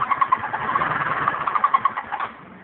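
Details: GY6 (152QMI) scooter engine, noise only when warm: a quick, regular chirping tick about ten per second rides over the motor; source unknown to the owner.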